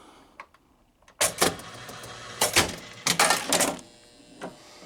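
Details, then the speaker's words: Bally Captain Fantastic pinball machine at power-up: ball kicked out, loud mechanical clunks over a faint steady buzz, score stays at 100 instead of game over, because game over and lock relays aren't working properly. "And you hear the buzzing, right? And we're still at 100, and we're not at game over. That's because the game over relay and the lock relay and all that's not functioning quite right."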